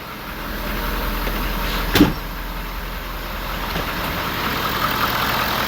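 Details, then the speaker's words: 2013 Ford 6.7 Powerstroke diesel first start after exhaust manifold and turbo replacement for a squeal under heavy throttle: steady, even idle, smooth low rumble, no knocks; normal. "she's alive sounds good too"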